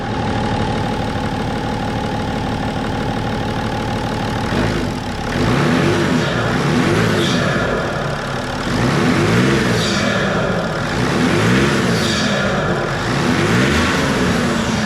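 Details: BMW 525d E39 M57 diesel after freeing the seized turbo geometry lever and adjusting its screw: repeated throttle blips with strong, clean rise in turbo hiss; boost builds fast even at light throttle, intercooler pipe already warm; healthy boost after repair.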